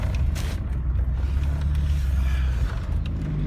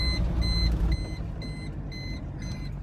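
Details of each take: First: VW T4 2.4 AAB diesel camper van on the road after replacing the low oil pressure switch: steady low diesel drone with no warning beeps; the flashing oil light and beeping alarm around 30 mph have stopped. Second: VW T4 van, 2.4 AAB non-turbo diesel, while driving: high steady electronic beep about twice a second over engine and road rumble with oil light flashing; unplugging and replacing the oil pressure switch hasn't stopped it yet, cause unconfirmed.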